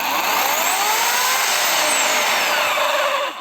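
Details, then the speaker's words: Dnipro-M DSE-22S electric chainsaw after about two months of use: runs normally but squeaks and crunches when switched off; harsh whir with sliding squeals, then abrupt cutoff; previously repaired once for the same fault. "жизнь работает все нормально но при выключении идет какой-то хруст"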